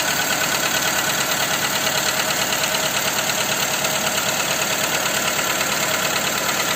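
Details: Skoda Fabia 2 1.4 engine after replacing the camshaft cover with camshafts: sharp regular tapping about three per second over steady idle, in time with the engine; engine knock at idle, source unidentified.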